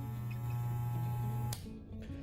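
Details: Hair clipper running smoothly with steady low electric buzz and no knocking after loosening the adjustment screw one turn and slightly retightening to restore vibration strength, then switched off.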